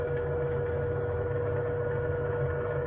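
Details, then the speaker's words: Feeling 850 sailboat refitted with 6 kW POD 6 Evo electric pod motor replacing an old diesel, lithium 8.5 kWh battery, running full throttle out of the water: only a quiet, steady whine with faint hum, no rattle; very silent, healthy. "Vous voulez savoir le bruit que ça fait? Là, on est à fond. On est hors de l'eau, évidemment, mais on est à fond."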